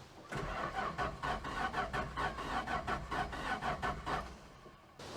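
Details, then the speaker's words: Mopar A-body slant six that misses, cranked with the plugs out during a compression test; the engine has roughly 2,000–3,000 miles and was built about 20 years ago: uneven cranking with one light stroke each cycle. Cylinder two has no compression. "so it appears that i have no compression on number two"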